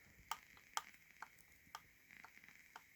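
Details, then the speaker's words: Right trigger pressed for comparison: crisp light clicks about two a second, no squeak or spring creak; normal feel, unlike the mushy, creaky left trigger. "As you can hear, it just makes a clicking sound. It feels normal."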